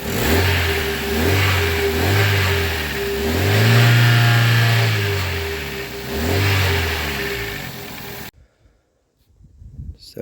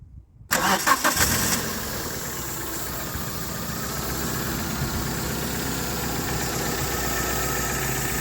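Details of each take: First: Toyota Carina E revving: the engine swells up and down with a rough, coughing rattle on each rise, an exhaust rattle under throttle; the owner suspects the catalytic converter needs looking at. Cause not confirmed. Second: Toyota Carina E cold start: short crank, catches quickly, brief rev, then smooth steady idle; a cough or rattle may be audible, and the catalytic converter is suspected to need attention.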